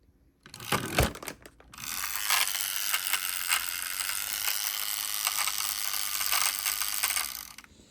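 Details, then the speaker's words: Two-speed toy at full (second) speed on old batteries: high motor whir with irregular rapid clicking about four a second; split gear on the motor shaft, maybe also on the wheels. "Of course, there's a split gear on the on I can hear it. There's a split gear on the motor shaft and there's maybe a split gear on the wheels. You can already hear that clicking sound."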